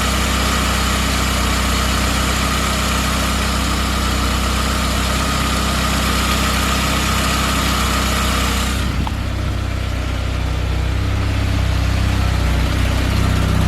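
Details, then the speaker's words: 1997 Saab 9000 CSE A50 anniversary edition, turbo with performance mods, trash bag in the exhaust muffling it; steady, even idle with no stumbles or knocks, runs with no issues. "But yeah, runs no problems whatsoever. No issues."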